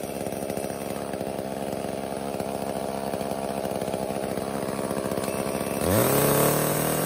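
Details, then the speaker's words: Echo CS-305 chainsaw after replacing cracked purge pump (primer) bulb and clogged air filter: steady, even two-stroke idle, then clean rev to high speed without bogging; runs healthy, repair fixed the no-start. "so this is a super easy fix all it ended up being was that purge pump bulb and we are back in business"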